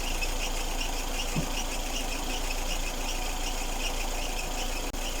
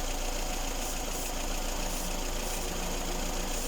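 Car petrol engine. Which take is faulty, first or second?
first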